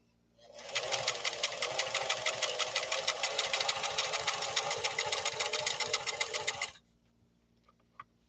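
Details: Italian-made Singer Fashion Mate Model 362, sewing maximum-width, longest-length zigzag: brisk, even clatter about four stitches a second at steady speed, no grinding or binding; runs healthy.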